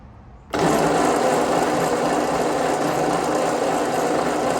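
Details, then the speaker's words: 1952 Ford 8N tractor during compression test; one cylinder rose to almost 80, target at least 90: starter turns engine at steady, even pace about four a second, no firing. Low compression while cranking. "I want to be at least at 90. So, this went up. It's like almost 80."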